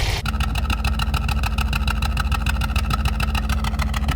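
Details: Engine running rough after the engine bay was washed: an uneven, lumpy beat with stumbles, a misfire caused by water in the injector connectors. Spark plugs were tested afterwards.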